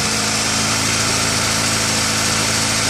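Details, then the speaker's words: 2000 Honda CR-V with P1399 random misfire code, at idle: steady idle with a faint uneven stumble that never smooths out; misfire bad when started cold, lessens as it warms but never fully goes away. "the problem we're experiencing with this car is a misfire that's pretty bad when you first started up cold and it diminishes as the car gets warmer but never a hundred percent goes away it's always there"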